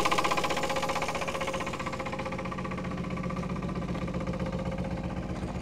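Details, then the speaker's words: 1962 Chevrolet Biscayne, 235 Blue Flame inline-six, 3-speed column manual, sat in a field since 1969, first run at idle: steady heavy bottom-end knock about four per second over a rough idle, cause not yet known. "oh yeah you can definitely hear how bad she's knocking over here though"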